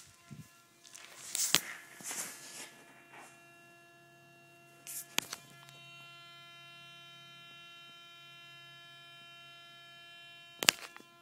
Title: 2010 Tundra Humming Sound